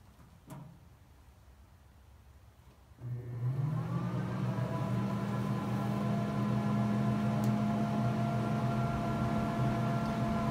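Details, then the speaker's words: Grilla Grills Silverbac pellet grill, initial seasoning burn-in with baffle, grease pan and grates removed, power button pressed: quiet, then click and steady fan whir holding an even hum; combustion fan starting normally. "you can hear, the fans turning on, and it should be heating up."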